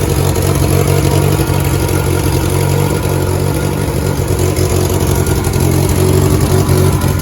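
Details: 1988 VW Polo MK2 Breadvan after refitting cleaned carburettor, started with revs then settling: uneven, puffing idle from a suspected exhaust leak between manifold and downpipe; long-stored car, big improvement over before.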